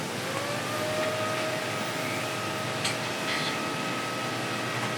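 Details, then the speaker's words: Windows 98 Pentium III Voodoo3 PC, slow and sometimes not booting; loud steady airy whir with thin high whine from fans and a hard drive suspected to be failing. "And when it does it's very slow, I think the hard drive is going bad. It's also very noisy."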